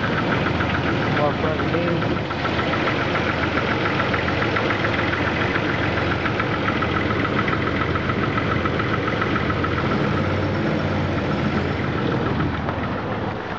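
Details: 2000 Jeep Grand Cherokee Laredo 4.0 I6 at steady idle, knocking for months: loose tapping knock about three or four times a second, absent when really cold, starting seconds after cold start; mechanics agree it seems to come from where bellhousing meets oil pan; oil pressure fine.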